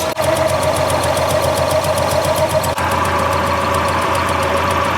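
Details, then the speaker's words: ST170 Mk1 Ford Escort at idle before throttle body balancing, throttle cable set back to its original position: uneven, lumpy idle with a wavering beat and a steady mid whine; running really rough because the throttle bodies are out of balance. "so you can probably hear that it's running really rough and that's because the throttle budes are out of balance"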